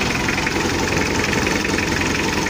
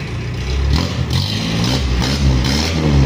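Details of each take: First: Mitsubishi L300 diesel with free-flow exhaust, mid-restoration, owner complaining of weak power: loud lumpy, unsteady idle with engine shaking; mechanic suspects the timing belt, and the injection pump was found badly worn inside; rotor head later upgraded to 12mm. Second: Mitsubishi L300 diesel after injection pump overhaul and 12mm rotor head upgrade: deep note climbs and falls evenly through quick blips, no knocks or misses; healthy engine revving cleanly.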